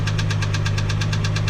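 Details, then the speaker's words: 1987 MK3 Supra Turbo Targa at idle: a sharp, heavy, regular metallic knock about eight per second. The noise seems to come from the left valve cover area, which is to be removed to look for something loose; rod knock suspected. "sounds terrible. I can distinctly hear the sound coming from here. I want to stay inside the left valve cover."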